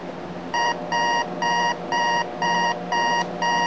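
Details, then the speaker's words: Thrift-store alarm clock radio with a faulty auto button: alarm beeps about twice a second in short even bursts with a faint steady hum underneath, also heard in the audio. Failing capacitors suspected, not confirmed. "like I said thoroughly unexciting and it's even got a little bit of hum in it suggesting that maybe the capacitors are going"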